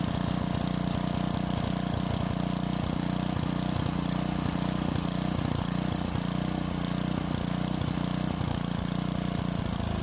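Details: Tecumseh-powered edger with old-fuel starting problem, after carburetor cleaning and adjustments: steady, even, fast single-cylinder beat with no misses, surging or knocks, blade spinning; runs normally.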